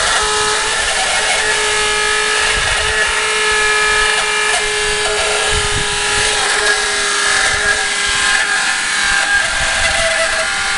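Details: Walrus TQI 1500 booster pump: loud steady hissing run with a fixed hum and whistle that never changes; pump running far noisier than it should.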